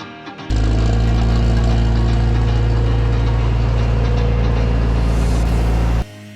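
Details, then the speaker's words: 1962 Willys CJ5 Jeep after revival, freshly tuned with new exhaust and milled manifold: steady even low idle with no knocks or misses under music; running smoothly and healthy. "she's running like a top now got it tuned up fresh exhaust we're gonna take her down the road for the first time and who knows how long"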